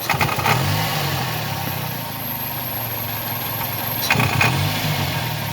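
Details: 2000 Toyota Corolla idling and being revved: a rough puffing rasp rises with the revs, a suspected but unconfirmed exhaust leak.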